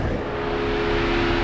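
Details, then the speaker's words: Jeep Wrangler JL Rubicon idling after sitting in the sun at about 80°F with AC just switched on: steady loud whooshing howl with constant mid-pitched tone, the condenser fan running hard for the AC, normal though it sounds like overheating. "that noise powers and it's kind of embarrassing when you're uh in a parking lot and it seems like your car's overheating because the fan's going it's really not it's just the air conditioning"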